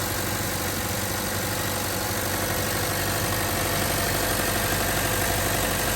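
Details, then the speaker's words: 2013 Chevrolet Cruze after replacing the suspected original belt tensioner, AC turned on: steady even idle, no previous loud ticking from belt area; accessory drive sounds healthy. "And I think that fixed it. Usually there would be a loud ticking noise, like you guys previously seen. But it looks like that was the solution. Sounds like, at least. There's no more loud noises. It's very quiet now, as it should be."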